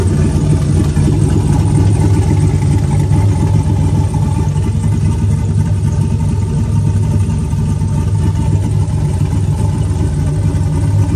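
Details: Turbo 4.8 V8 Blazer, Trick Flow 216/220 cam, warming at 130 degrees, idling down: low, slightly uneven thump, three to four pulses a second, mild lope without real chop; sounds healthy.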